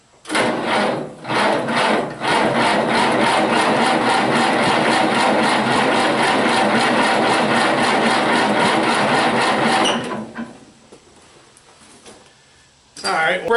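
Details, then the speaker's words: Massey Harris 81 tractor, sitting about 15 years, new battery, spark confirmed, in neutral: rapid steady cranking about nine seconds, never catches or fires; cranks but no start. "with some starting fluid and if that doesn't make her pop then we're going to go to check and spark"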